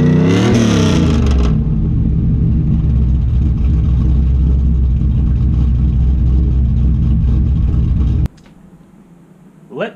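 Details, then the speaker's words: 3rd gen Pontiac Trans Am started after a few months in storage; quick blip rising and falling smoothly, then a steady rumbling idle until shut-off, even firing, nothing rattling; runs fantastic, only light cleanup needed from sitting. "play you the song of my people that sounds fantastic car runs there's a little bit of cleanup from sitting"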